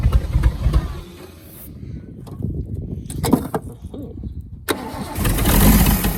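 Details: Holden FC grey motor six, first start in 50 years, sprayed starting fluid: slow uneven cranking with a pause, then it catches and picks up to a rough, rising run with oil pressure showing; points and plugs untouched.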